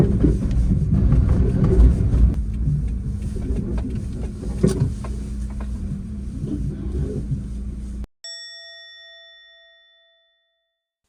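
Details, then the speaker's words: Suzuki Wagon R driving over bumps: low rumble with irregular clunks, rattles and grinding, blamed on worn aftermarket coilovers and sagging upper mounts, fixed by replacing the suspension and upper mounts. "どうもこんにちは本日はですねこちらのワゴンワールオープニングでね乗ってる時の不快なゴリゴリオンごとごとを聞こえたと思うんですけどもこちらのイオン対策を行いたいと思います"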